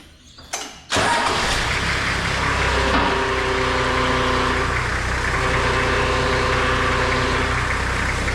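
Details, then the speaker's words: Toyota Landcruiser HZJ75, reservoir cap off with plenty of fluid but aerated; engine starts and idles with a steady whining grind as the power steering pump cavitates, pump likely destroyed by running out of oil, to be replaced; pump cavitation. "making so that's the grinding sound it's making there's plenty of oil in it but you can see all that oil is like air rated like the pump's cavitating"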